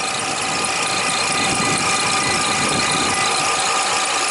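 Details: Toyota Highlander (2007 or 2003), idling at 13.1-13.3 volts with about 40-42 amps of alternator output. A constant high-pitched squeal at one pitch: failed alternator diode.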